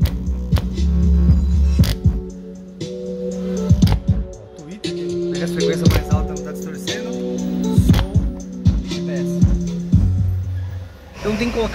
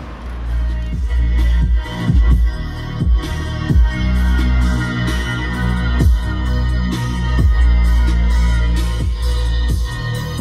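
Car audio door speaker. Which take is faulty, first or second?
first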